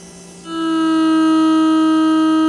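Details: Used no-name aftermarket Mercedes W126 fuel pump on the bench at about 11.5 volts, drawing about 1–1.4 amps after cleaning; spins up within half a second to a steady even hum holding pitch with no rattle or grinding.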